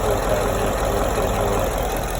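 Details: Ford Mustang GT V8 with full bolt-ons and a shop-confirmed internal bottom-end typewriter tick near the oil pan: after adding an oil additive, steady even idle with no sharp metallic tick standing out; tick seems quieted, cause unconfirmed.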